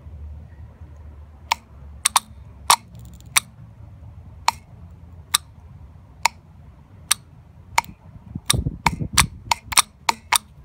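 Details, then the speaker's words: 2005-2011 Hyundai/Kia EVAP canister vent solenoid, bench-tested for P0496 high purge flow: sharp, distinct clicks in a quiet room, irregular then quicker; normally-open valve snaps closed each time voltage is applied, clicking normally. "you guys can clearly hear the click let me see if I can get you guys in the way this vent valve works is actually it's always on the open position so once you apply the voltage to it that's when this valve closes"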